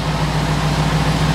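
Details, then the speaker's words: C4 Corvette ZR1 V8, first cold start in ages with a backfire, with its own ECM fitted to a working car: smooth, steady cold idle held slightly high, no misses; fault reportedly appears once in closed loop. "is really smooth isn't it yeah it idles so well and it'll idle high for a little"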